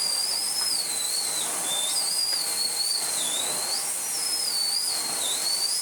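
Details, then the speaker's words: Miele S8 vacuum cleaner rebuilt from two broken units, fitted with new filters and a bag: a high, steady motor whine with a slight wavering whistle as the airflow shifts. Running normally. "so we'll plug it in although you probably know what a working member sounds like by now and yeah hello"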